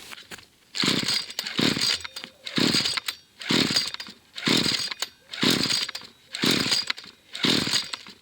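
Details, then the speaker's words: Fairly new McCulloch two-stroke trimmer, carburettor cleaned twice, still hard starting: on full choke revs surge and drop about once a second, stay up only with throttle held; cuts out on half choke, runs only on full choke. "I'm going to let it run on full choke which it does as soon as I turn it on to half choke it normally cuts out straight away unless I pull the trigger and keep the revs high"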